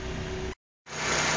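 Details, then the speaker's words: 2007 Chevrolet Celta flex-fuel that was hard to start, misfired and smelled of fuel, after repair tied to the fuel tank float reading: a steady, even idle hum with no stumbles or skips. The engine runs smoothly and the misfire is gone. "motor tá fará dinho parou de falhar está funcionando bem agora não tem mais nenhuma falha"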